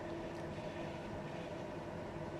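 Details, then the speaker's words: Samsung microwave that had been running loudly and not heating, after repair (cut part in the heating/cavity area patched back over its original hole): heating sticky rice on high power, now quiet with a steady even hum and soft fan rush; rice came out hot. "เดี๋ยวผมจะเอาข้าวเหนียวเข้าไปเวฟดูปรับความร้อนให้สูบเลยตอนนี้เสียงเงียบแล้วครับ"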